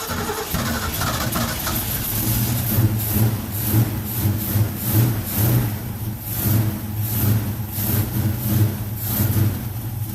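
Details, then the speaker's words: 1970 Mach 1 clone V8, just restarted after a Holley 600 carburetor gasket rebuild, still cold: deep rumble with uneven throttle blips, slightly lumpy but running strong and clean; sounds good, just needs warming up. "sounds good it's just a little cold so we'll get this running right"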